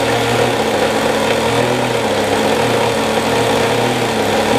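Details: OS Max SF 40 ABF glow engine on a trainer plane, early startup, about 2° cold and wet, untuned; steady buzz with a slightly uneven, burbly edge and no clean rhythm; owner believes it runs quite rich. Rough idle.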